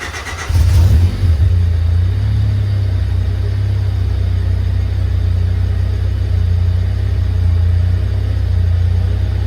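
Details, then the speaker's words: 1995 Honda Civic coupe starting after DNA eBay headers were installed and the O2 sensor reconnected. It cranks and catches fast, then a deep steady rumble with even rev rises, no knocks or rattles; a little louder but healthy. "All right, so there you guys have it. That's how it sounds. It sounds a little bit louder. Overall, I'm pretty happy with how it sounds."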